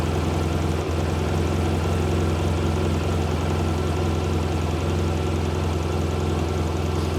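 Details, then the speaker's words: 2017 BMW R1200 RT boxer twin started after 9 months stored covered on a battery tender in dry Tucson climate, in neutral: fires quickly and holds a steady, even low-pitched idle with no knocks or misses. "That's pretty impressive because for it to fire off that quickly after sitting, you know, don't know if it's the climate."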